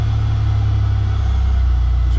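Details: Buick LS starting after a dead battery revived with a Noco Genius 10 maintainer: engine settles right away into a steady, even low-hum idle with no knocks, misses or surging; charging around 15 volts.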